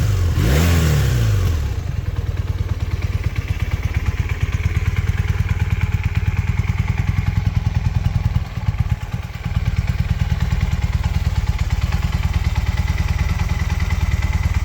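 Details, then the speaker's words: 1981 Honda CM400, sitting about 20 years since 2000, now running: quick throttle blip, then an even, steady idle with no misses or knocks; didn't skip a beat. Normal idle. "Even for sitting for 20 years, it didn't skip a beat."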